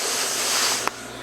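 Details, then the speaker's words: Ruud AC after evaporator coil replacement, brazing the lines with filter drier fitted: steady soft high-pitched hiss of a small nitrogen flow through the gauge hoses; normal nitrogen purge. "nitrogen flowing up through put the yellow into the blue and come back and come back out the red I got the red shutoff here you can hear it"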